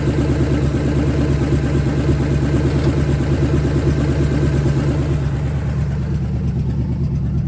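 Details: 1970 Ford Falcon, freshly budget-rebuilt 5.0 V8, cold, on open shorty headers, cold oil pressure about 70–80. Steady, deep, slightly lumpy idle with no knocks, ticks or rattles; starts easily, no weird noises, healthy.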